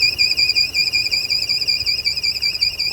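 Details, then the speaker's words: 2007 Audi TT after front-end damage repair, running rough like a misfire at start-up; high-pitched squeal starts while driving, mistaken for fan belt: steady high whistle over quiet idle, vacuum leak through long-leaking PCV valve. "keep driving along and this high-pitch squeal would start yeah and they could never work it out"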